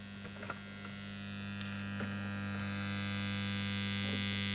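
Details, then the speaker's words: Old Suzuki motorcycle ignition tester SS-II under repair, secondary voltages confirmed present: constant low electrical buzz with strong steady drone; transformer hums loudly, cause unknown, possibly normal. "so we've proven all of our secondary voltages are present it's interesting why it still hums loudly see if you can hear that"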